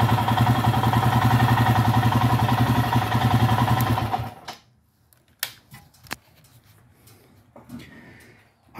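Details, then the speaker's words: Motorcycle after three hours of riding and idle adjustment, parked warm: the idle sits high, near 2000 rpm, after being just under 1500; steady fast idle then shut off, cause unknown. "came back and then what did you guys see you saw it idling high hitting close to 2 000."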